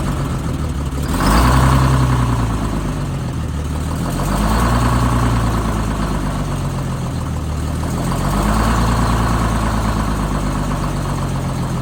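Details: Rebuilt bus diesel engine after a fuel-problem fix, cold start at about 42°F after a 20°F night with no ether or block heater: it catches and settles into a deep, even idle clatter with a couple of gentle revs, steady firing. Healthy.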